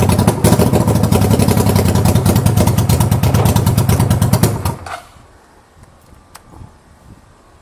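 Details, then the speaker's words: 1985 Honda VT500 motorcycle, first start after an engine rebuild, mufflers off, running on starter fluid sprayed into the intake. Loud, ragged firing about three per second for several seconds, then it dies; the carbs, throttle and an ignition coil still need sorting. "I'm gonna spray song and D intake it's just so breeze come running great it's gonna die off"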